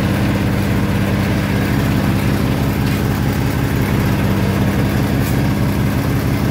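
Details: Massey Harris Pony with an 18hp Briggs opposed twin at idle, with temporary wiring. A steady, even putter with a constant low hum, no misses or knocks. Normal, clean idle.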